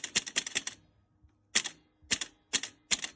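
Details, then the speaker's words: Gottlieb Sky Jump electro-mechanical pinball on restart during repair: quick bursts of sharp relay clacks with gaps; 20- or 10-point scoring relay wrongly popping the 100, cause not yet found. "Hunting around to see why that 20 point or 10 point relay is popping the 100, and I'm just scrounging around."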